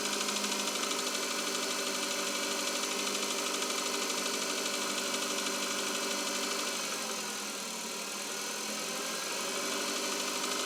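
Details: 2021 Chevrolet Cobalt, cold engine at idle: fairly regular light tapping at about three per second over the idle; engine knock, cause unknown.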